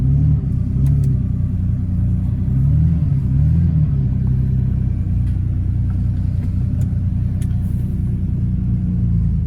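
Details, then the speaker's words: 1979 Porsche 930 that had stalled, after swapping in working fuel pump relays, while driving: steady even engine drone with road rumble, no stumbling or cutting out; normal running. "yeah seems to be driving yeah and uh engine sounds good"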